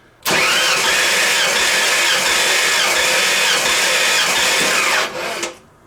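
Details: Rebuilt 302 in a 1985 Ford F-150 cranking on the starter during a compression test with throttle open, reading a little over 120 psi: steady, even cranking for about five seconds with no stumble; normal.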